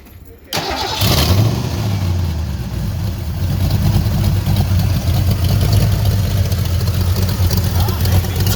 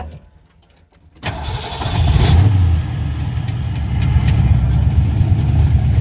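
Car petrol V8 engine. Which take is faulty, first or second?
first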